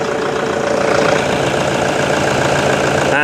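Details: Toyota Vigo 1KD diesel just after an injection pump rebuild, first start: steady idle clatter about three and a half beats a second, even and settled, with no heavy knock; it runs normally after the repair.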